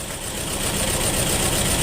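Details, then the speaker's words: 2.0 SOHC engine after a broken timing belt, two injectors unplugged so it runs on two cylinders; lumpy, hollow uneven idle like half the cylinders firing, no knocking, a bent valve probably suspected. "So I unhooked these two fuel injector so we don't have any fuel, but it's running on the other 2 cylinders, which, you know, at least I can hear the engine run."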